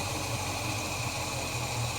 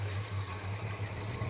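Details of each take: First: Holden HK after new spark plugs and oil change, deliberately very low idle; slow, soft, even hum with a faint hiss, running cleanly and judged about right. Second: Holden HK V8 just after a spark plug change, with fresh 20W60 high-zinc oil, at idle: low, lumpy, uneven beat. It is running rough and needs re-tuning; the cause is not confirmed.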